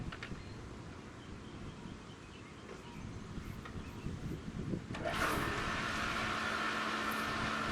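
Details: Pool pump after its crack was repaired with a plastic welder and marine epoxy: after outdoor background, it starts with a rush and settles into a steady hum with no rattle or grinding. It runs normally.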